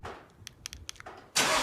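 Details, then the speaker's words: 2020 Ford Mustang GT 5.0 with loud exhaust, hot start: a few sharp, dry clicks for about half a second, then the engine catches and roars; unexplained click on hot start, ongoing. "i did have a weird like starter sound when i'd start the car up when it was hot it would make like a weird click and start up"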